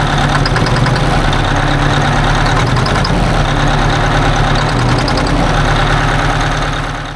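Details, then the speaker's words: 1980 Peterbilt 359 Detroit Diesel 92-series: heavy uneven idle with a recurring stumble about four times a second; holding that injector's rack makes no difference, so that injector is bad or something is wrong there; fresh injectors planned. "you could visibly hear the Miss over here I mean I guess not visibly but audibly"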